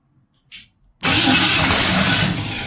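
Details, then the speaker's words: 1962 Mercury Comet with 302 V8, points distributor, timing roughly set, gas poured into carb, first start in years: click, then loud catch that sags after a second and a half; fires briefly but won't keep running. "okay she wants to light up"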